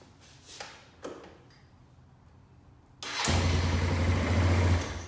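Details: Kawasaki Bayou 220 barn-find ATV after carburetor cleaning, new battery, oil and air filters, rear wheel bearing and seal, drum brakes; after clicks, engine runs steady and even on test drive, no issues: normal running.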